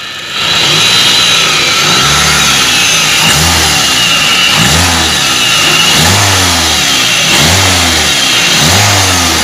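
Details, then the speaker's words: Toyota Avanza with harsh whine in engine area on acceleration: high whine rises and falls with each of about six throttle blips; loudest at upper idler pulley bearing, which was replaced. "Hai suara desingan terdengar dari judul bearing atas yang paling kencang"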